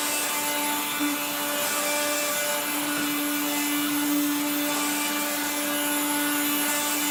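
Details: 1970s blue Regina Electrikbroom 3-speed vacuum, just arrived, vacuuming a floor. The motor and fan are dry after someone washed it. A constant motor whine sits under a harsh, rough hiss and grind from dry motor bearings.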